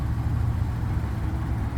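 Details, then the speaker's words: 2012 Ram 1500 4.7 L V8, about 130,000 miles, idling after Marvel Mystery Oil and Liqui Moly Valve Clean treatment cured an earlier tick: steady, even idle with only very light, normal valvetrain noise and no ticking. "engine is running running you hear a very very very light uh valve train noise that's normal but yeah it is silent as anything"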